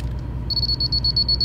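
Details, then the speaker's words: A Topcon rotary laser level receiver gives a fast, even run of high-pitched beeps, about ten a second, as it picks up the laser close to grade. "well just worked out really close you hear it beeping all right"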